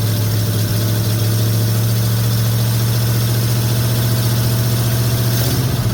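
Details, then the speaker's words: 1950 Ford F1 with Flathead V8 8BA, after replacing a leaking exhaust manifold gasket and fitting missing header bolts: deep, steady V8 burble at idle, even rhythm, no ticking or puffing, now smooth and quiet. "sounds good"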